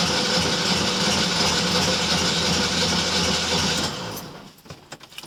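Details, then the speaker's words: VW Fusca (Beetle) rebuilt engine that kept oil-fouling plugs, compression test with gauge in cylinder 1, starter held about 12 seconds: steady fast churning, even beat about three per second, no firing; reading was 120 psi. "E agora eu vou ligar a chave aqui e vou segurar até uns 12 segundos aí para fazer a medição lá atrás, certo?"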